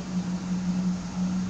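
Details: 1972 Pontiac Firebird Trans Am V8 after cooling air pocket cleared: deep, even burble with steady pulse, no knocks or misses; owner thinks idle is still a little low and might raise it. Normal idle.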